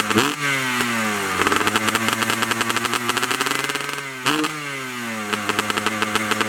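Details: 2003 Honda CR250R two-stroke, cold start after full top and bottom end rebuild (Pro-X crank and rod, replated cylinder, new clutch), Lectron carb, Boyesen reed valve, Pro Circuit pipe with shorty silencer: crisp note, two clean rev snaps, steady idle; healthy.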